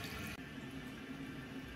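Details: Toilet running constantly: continuous quiet hiss of water trickling into the bowl as the tank keeps refilling; flapper not sealing, handle also partly at fault, whole fill/flush kit replaced.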